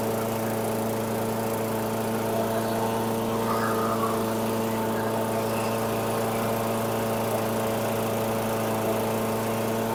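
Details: 2008 Weedeater 22-inch 500 series mower, engine model 10T502, after non-start repair work: even, steady fairly fast drone, no misses or knocks; RPMs a little high, possibly left high for heavy cutting; throttle cable and a possibly bent screw to check.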